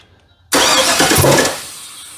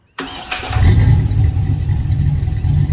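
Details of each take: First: 1965 Chevrolet C10 cranking after the distributor hold-down was swapped, possibly slipping a timing-belt tooth: a loud sudden pop bursts out as it cranks, then fades with no catch; ignition timing way off. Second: 1965 Chevrolet C10 V8 with home-built exhaust: starts and blips several times with deep clean rumble, no rattles or leaks heard; exhaust sounds healthy.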